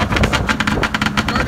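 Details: Arctic Cat ZR440 two-stroke snowmobile after rebuild, cold start, needing fuel pump and carb tuning: choppy idle with uneven popping pulses, sitting too low and stumbling; idle speed should be raised.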